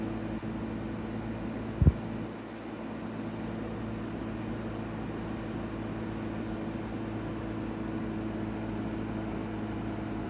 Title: EcoFlow WAVE makes an unpleasant and loud noise. Video 2.